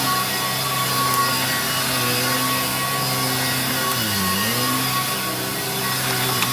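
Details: Electrolux 612E (600 series) upright vacuum with new Qualtex brushroll on deep hallway carpet: steady motor hum with even brush whir, pitch briefly sagging as it bites into thick carpet; running strong; owner considers greasing the motor.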